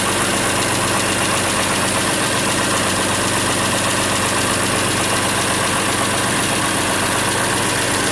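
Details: Farmall 706 tractor, IHC C263 engine, just after Steiner spin-on oil filter adapter install, oil level low after filling the new canister: steady, even idle with a constant mechanical hum, no knocks or rattles; nothing alarming seen. Normal idle.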